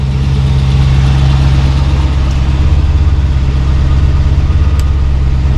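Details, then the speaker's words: 1972 Mercedes-Benz 280SE 4.5L V8 with D-Jetronic injection, warm at 175 degrees, idling a little over 1000 rpm during vapor lock investigation of hot-start trouble: smooth deep steady idle, no ticks or stumbles; healthy. "all right 175 that's good warm-up temperature we are idling a little over a thousand"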